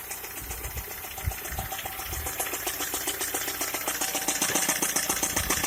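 A sharp, fairly regular ticking at about 220 a minute over the idle, growing a little louder; it is an engine knock of unknown cause.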